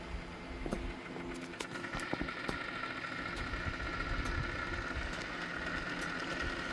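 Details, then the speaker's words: Diesel generator cooling system with the radiator topped off and the cap off, percolator coolant heater plugged in and drawing current. Irregular ticking and popping over a faint hum as the water bubbles and circulates by convection; normal operation. "Yep. You hear it bubbling in the water."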